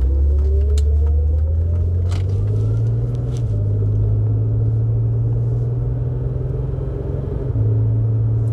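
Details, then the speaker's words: BMW with ZF 4HP22 EH four-speed automatic after valve body cleaning and fluid refill, driving: deep steady drivetrain rumble with clean shift steps, correct rpm; transmission healthy, exhaust leak audible. "So yeah, everything is smooth. The shifts are correct. The RPM is fine and no issues."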